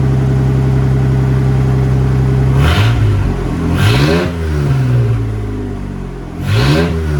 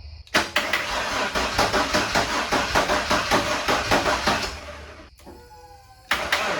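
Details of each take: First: Ford F-150 after junkyard head swap and resealed intake gasket: steady idle with three clean throttle blips rising and settling back promptly, no hunting or racing; normal running. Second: Ford F-150 former plow truck, first start after a head swap from a junkyard engine: it catches and races as if at full throttle, then falls away. High idle caused by a leaking intake manifold that was not sealing.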